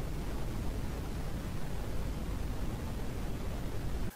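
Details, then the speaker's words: Pioneer amplifier, left channel: steady hiss with volume at zero, most apparent in headphones, slightly on speakers; caused by leaky noisy 2SC1344 transistor found with freeze spray, replaced with 2SC1845. "so there it is and like I said this is really really apparent and headphones it does show up a little bit on the speakers"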